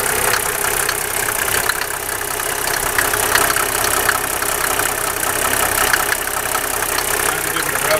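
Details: Mercedes 300SDL with the 603 diesel engine at idle: a light, steady tapping over the diesel clatter, seemingly from the valve cover area; top-end knock, collapsed tappets suspected, not confirmed.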